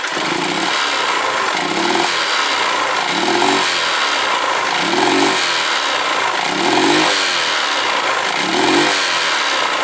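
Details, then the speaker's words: Honda Titan 150 motorcycle, smoking slightly, noisy top end: blipped throttle, engine stumbles and fails to pick up; misfire, mechanic suspects ignition timing off, checking spark plug and coil first. "trupicando deu para ver como ela tá fumaceando um pouco ali então a parte de cima já é certo que tem que fazer e essa essa trupicada que ela dá aí ó ela não não desenvolve não empar até parece que tá fora do ponto"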